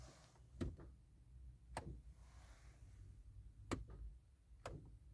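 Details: Ford Mondeo Mk4 no-start: a few sharp, isolated ticks about a second apart with no cranking at all.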